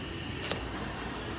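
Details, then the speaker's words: Toyota Tacoma with misfire codes P0300/P0301: a leak-down test on cylinder 1 at compression gives a steady hiss of escaping air, about 20% leakage with bubbling, indicating a leaking head gasket. "que hay una marca un 20% de fugas y te damos cuenta empieza a burbujear aquí pues eso quiere decir y allí es donde tal como está la fuga de él en el cilindro tiene un juego en la junta de la cabeza"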